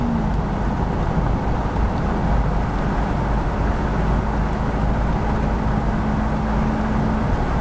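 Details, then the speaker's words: Ford Bronco V8 automatic, overdrive on, floored from about 50 mph: deep steady roar with a faint even tone over road rumble, pulling strong with no knocks or misses; healthy full-throttle acceleration. "So we'll shut her down a little bit there. But, I mean, it just pulls strong."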